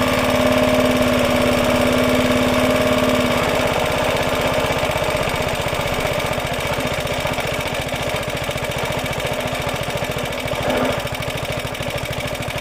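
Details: Roughly 70-year-old Suffolk Super Punch 17-inch cylinder mower, SIF 75cc cast-iron engine, running on oil-petrol mix after carb and points clean, microphone fitted; steady even putter about three and a half beats a second, no knocks; healthy normal running.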